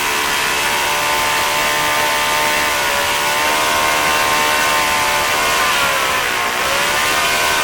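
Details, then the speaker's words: OS FS-40 Surpass four-stroke glow engine after bearing replacement, Enya No. 3 plug, 11x6 prop: high steady buzzing drone at constant speed, one brief sag near the end, even and clean. Normal running. "it sounded good once it got warmed up and it had the decent idle to so it's a pretty nice little engine"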